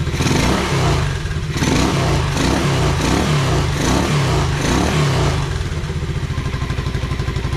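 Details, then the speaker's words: 1986 Honda Fourtrax 125 single-cylinder after carburetor cleaning and pressure wash: thumps cleanly, picks up briskly on a few throttle blips and drops back to an even idle; running properly. "road yeah that sounds great though"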